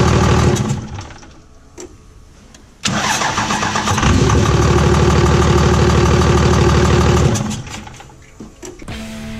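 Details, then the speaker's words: Cummins diesel truck after P-pump swap, running without intake manifold: catches and settles into strong even idle with loud rhythmic tapping/hiccup from open intake, normal for no manifold; runs phenomenally. "that loud noise you hear coming from the intake that sounds like maybe a knock or you know hiccup tapping noises from the just the way these luncheon sounds without an intake manifold on it"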